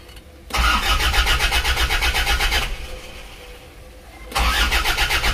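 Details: Isuzu Panther diesel, injector nozzles set to 180, injection pump timing, valves and fuel delivery being adjusted: starts and runs with a hard, rattling clatter about four times a second, harsher than normal; pump timing set too far advanced.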